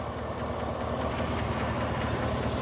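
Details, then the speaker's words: 2017 Chevy Silverado 5.3 V8 with 131,680 miles, warm after about 10 minutes of running, quiet when cold: steady idle with a light, quick tick from one side; valvetrain ticking, suspected lifter or rocker, unconfirmed. "when it was cold I really didn't hear anything now it's been running for a little bit I definitely hear something nothing to see though but you can hear"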